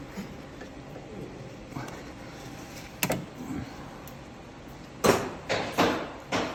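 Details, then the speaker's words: Dull metallic clunks, a few faint then four sharp, from a worn steering tie rod on a VW Golf knocking as it is rocked by hand; the tie rod is being replaced. "Тяга отжила свою. Міняємо рульову тягу. От послухайте, як вона стукає."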